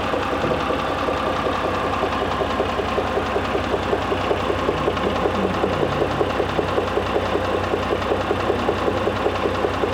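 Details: Mitsubishi Pajero III with the 6G74 3.5 L GDI engine, part 1: a steady internal engine knock, about two to three a second, stands out over a smooth idle.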